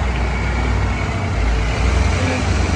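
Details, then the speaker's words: 1982 Ford Bronco 302 V8 with Holley Sniper EFI, after fixing interference-caused backfires and data dropouts by relocating the coil and fitting Taylor ignition wires: steady, even low idle rumble with no pops or stumbles, no backfires on throttle stabs. "great now no issues i can stab the throttle no backfires"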